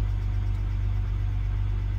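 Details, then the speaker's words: BMW 2-litre straight six, first start after sitting a few months on a swapped spare battery (old one at 0.9 V): steady, even low idle rumble with some ticking noted, otherwise no misses; normal idle. "we have ignition and apart from that ticking sounds pretty sweet"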